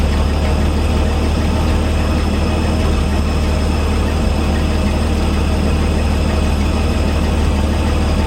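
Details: 1961 GMC 5000 with 351 V6 just converted to a Holley carburetor, not yet tuned: deep even idle holding a steady beat with no stumbles, misses or surging; running smooth.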